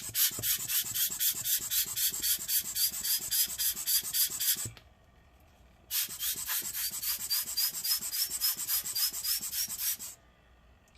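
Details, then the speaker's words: ASUS GX531G laptop fan, reported rumbling, being spun by blown air during cleaning: rough, scratchy grumbly whirring pulses about four per second; possibly a worn bearing, not confirmed. "yeah i don't know if you heard that but it was making a grumbly sound so let's try this fan too see if there's anything weird with this"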